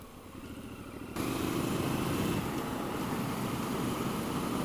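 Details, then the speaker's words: Triumph Scrambler 1200 XE, a liquid-cooled 1200 cc parallel twin with a 270-degree crank: it catches and settles into an even, lumpy throb with no knocks or rattles; the exhaust is generally tame, coming in under throttle; normal engine note. "then it gives you the sound is kind of like a chorus it's not constant it kind of comes in where you want it to come in but then generally it's really quite tame"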